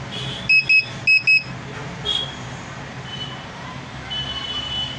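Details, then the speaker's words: Luminous Hercules 1600 12 V inverter on battery only, no mode on, gives repeated pairs of sharp high beeps over faint hum; continuous beep fault on battery, mains and charging persists despite new card and all voltages checking fine. "देखिए अभी ये battery पर बप sound जाता है सिर्फ battery connect है इसमें इसका कोई भी मोड ऑन नहीं"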